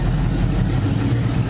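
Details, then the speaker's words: NASCAR V8 after swapping in MSD Blaster 2 coils, timing backed off from 16 to 14 degrees initial: deep, even idle burble with steady firing, no stumbles or pops; now rock steady. "Okay, let's back this timing off a little bit and see if we can get to run a little better. Now it's rock steady now."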